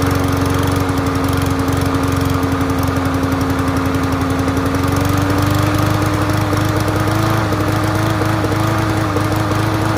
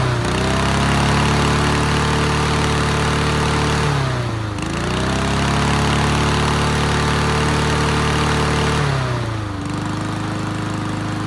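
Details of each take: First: Free Yard Machines MTD push mower from transfer station, started first pull on choke; steady buzz that stumbles and flutters unevenly, sputtering; owner first suspected fuel, later found loose spark plug wire giving intermittent spark misfire. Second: Yard Machines MTD push mower after reseating loose spark plug wire; smooth steady drone, dips briefly twice and recovers, settles evenly; running fine, earlier heavy smoking stopped.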